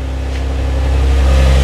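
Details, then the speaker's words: Infiniti G35 coupe right after the owner's first oil change on it, idled more than 30 seconds to check for leaks: deep, steady idle with an even low rumble, no knocks or ticks, no leaks; normal idle. "so let it run for a good and more than 30 seconds I would say no leaks she sounds good"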